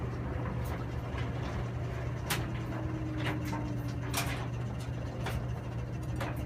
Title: Samsung Washer WF330ANB/XAA makes a loud noise after spin cycle